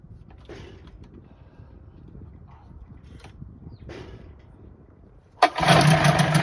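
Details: 1984 Johnson 25 HP two-stroke outboard, after pulling lanyard cut-off and kill switch: fires suddenly after quiet handling and settles into a loud, even run; clean first start, though engine reportedly won't restart after shutdown.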